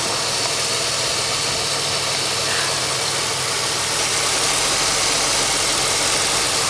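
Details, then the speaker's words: 2003 Pontiac Grand Am restarted after fixing an injector issue that caused a new misfire. It holds a steady, even idle under a fan hiss with no misfire or tapping, and sounds better. Normal idle. "Alright, let's start it up. Huh, sounds better already."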